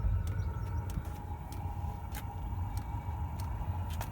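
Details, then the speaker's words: 5 kW Chinese diesel heater after fitting a new controller and motherboard: once lit, a low steady burner rumble with a soft fuel-pump tick about every half second and no smoke from the exhaust. Normal running. "that sounds like it's fired yep that sort of air coming out of there oh yeah and no smoke"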